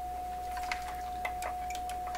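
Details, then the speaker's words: PYE Columbia Stereo 360 amplifier on power-up during troubleshooting: steady mid-pitched tone from the speaker with scattered faint ticks and changing tone quality; an intermittent noise, cause not yet found. "Ooh, did you hear that? That was kind of interesting. You hear the pitch, or not the pitch, the tone quality changing."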